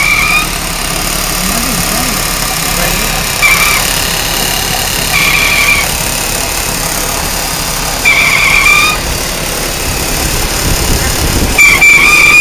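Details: 2003 Ford Taurus running with a loud, high, fairly steady engine-bay whine; owner questions power steering, transmission not slipping, exact source unclear.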